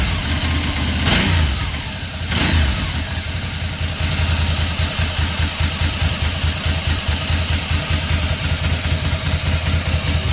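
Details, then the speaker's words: 2006 Ducati Monster S2R 800 running for the first time in years after fuel pump replacement and injector cleaning, now firing on two cylinders: two sharp throttle blips, then a lumpy, even twin-cylinder idle; normal idle and revving. "sounds like a ducati to me"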